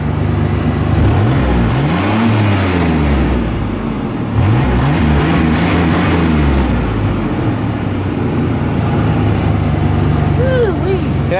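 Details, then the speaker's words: 1991 Chevy S10 with carbureted V6, long-sat project truck that started right up once fuel reached it; solid even running with smooth rev rises, no knocks or misses, needs a tune-up; normal running. "i mean it sounds solid just needs to tune up"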